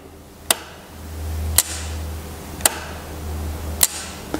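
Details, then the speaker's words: Mercedes R107/W126 VDO cruise control actuator, bench-testing the electromagnetic clutch via pin 6. Four crisp clacks about a second apart over a low hum. The clutch engages cleanly each time and the actuator works properly. "next step we check that electronically clutch within the actuator which works in a similar way just like your starter pin 6 is attached to by coincidence the knock and the Clack from the switch was in the very same second"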